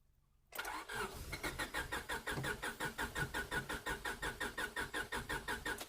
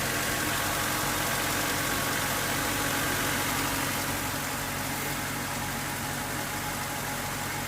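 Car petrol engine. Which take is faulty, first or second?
first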